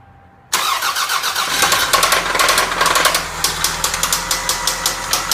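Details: 1997 Toyota Camry idling roughly with sharp, uneven knocks about twice a second; the knock began while driving, with the engine cutting out, stalling and blowing white exhaust smoke. AutoZone suspected a failed head gasket mixing water with oil/gas and possible imminent seizure.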